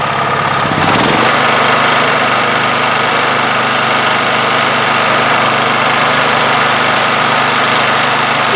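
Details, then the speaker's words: 1997 Honda EB5000 generator with a cheap non-OEM replacement carburetor, flow restricted, in auto idle mode under a 1500 W heat gun load: hums steadily, speeds up smoothly as load comes on, holds even with no surging; governor working normally. "again it used to surge a little bit now it doesn't surge at all just restricting the flow"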